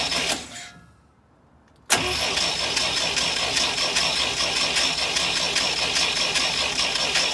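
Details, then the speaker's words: International Scout 80, after an oil change, out of gear with the coil disconnected, cranked by a button to circulate oil through the new filter: the starter turns the engine over in a steady, even rhythm for several seconds without firing. Normal no-start cranking. "So it's out of gear and the coil isn't hooked up, so we're just gonna crank it over here and let it just circulate the oil."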